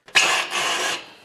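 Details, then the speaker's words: Brand-new MTD snowblower, engine off, impeller turned by hand: brief dry scraping rub with a faint high squeak. The auger brake rubs the auger belt pulley when the lever is released, which is normal; lubricating does not stop it. "and you can hear a little bit of a squeal there and that was the noise he was wondering about well that's perfectly normal to hear that sound what causes that noise is there's a break that when you release the augur lever it rubs against the augur belt pulle so it kind of puts the brakes on the augur pulley to stop it"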